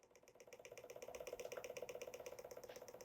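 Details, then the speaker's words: Evap system trainer purge (N80) valve driven by pulse-width-modulated duty cycle, relieving gas-tank pressure: fast even rattle-like ticking about four per second, no engine noise; healthy purge valve cycling. "i don't know if you can hear the sounds like a rattle noise and that is the computer is is telling this valve to open and close open and close open and close and that's again it's a duty cycle"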